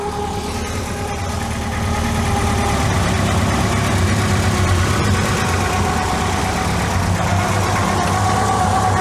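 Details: VW MK2 Scirocco that failed MOT emissions, running on only 3 cylinders with bent plug electrodes on cylinders 1 and 3, at just over 1000 rpm; uneven lumpy idle with rough beat and steady whirring, owner suspects overtight timing belt.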